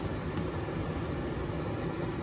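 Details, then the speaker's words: Gas furnace lit manually with a lighter: steady airy whoosh over a soft low hum with no rattles, squeals or scraping as the blower motor runs during the cycle; normal blower motor running. "ahorita está trabajando en el motor soplador y alcanza a escuchar el motor soplador"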